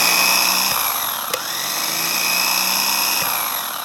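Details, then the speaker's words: Land Rover Defender starter motor, removed and run on the bench after failing to crank the engine (only relay clicking); strained, uneven whine sagging and recovering; rusty, gummed-up starter dragging internally, to be replaced. "and just to prove it does work very badly though um here we go"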